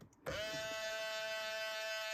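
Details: 2000 Ford Explorer XLT 4WD driver-side power mirror: when the switch is pressed a steady, high-pitched electric buzz starts and holds even, the mirror motor buzzing while actuated; engine off, window rolled down.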